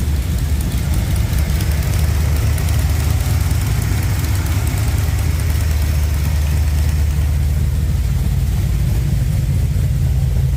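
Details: Newly installed blueprint 383 V8 after fitting a new header gasket over a small exhaust leak: deep, even rumble holding steady at idle with no ticking or exhaust puffing; normal idle.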